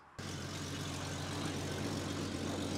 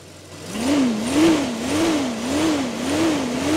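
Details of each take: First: Jeep Cherokee 4.0L petrol at idle: steady rumble with sharp hissing puff on each firing; suspected leaking or cracked exhaust manifold, to be replaced with a stainless manifold. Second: Jeep Cherokee 4.0 L petrol after fitting a stainless manifold and a new fitting to cure a leak: the engine is blipped about eight times, revs rising and falling smoothly with no hiss or ticking, and the earlier leak noise is gone.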